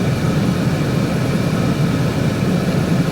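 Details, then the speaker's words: 1988 Ford LTD Crown Victoria, 5.0 V8 reportedly from a 93 Mustang with a manual swap, AC just recharged: previously wouldn't idle with AC on, now deep steady burble with no dips; normal idle with AC on. "No, I I turn it on without the air with it running and it wouldn't idle. Now it's idling just fine."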